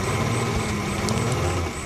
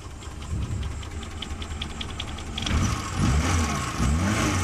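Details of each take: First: Suzuki Carry Extra petrol engine idling, starts easily: uneven, stumbling low beat, shaking misfire; suspected dead spark plug or too-narrow points gap. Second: Suzuki Carry petrol engine that had been shaking, misfiring and using too much fuel, after all four spark plugs were replaced (one was half-dead): it starts and settles into a steady, even low idle with no stumble or shake.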